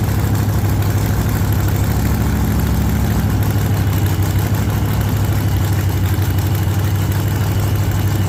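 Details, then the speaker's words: 1948 Chevy Fleetline small-block V8 (4-speed), just started after sitting a while and a motor repair; the owner pumped the throttle heavily so it fires rich. Deep, steady rumble with a slightly lumpy beat, settling into an even idle. "Now uh I will say I pumped the ever living crap out of it. So she's going to fire up a little on the rich side."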